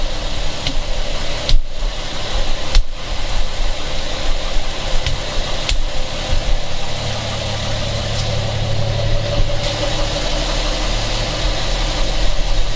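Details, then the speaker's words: 1975 Plymouth Duster, previously had a loose valve adjustment screw, heard from inside: warm idle with a steady low rumble and a dull knock each revolution; rod knock. "probably hear the broad knock a lot better from in here"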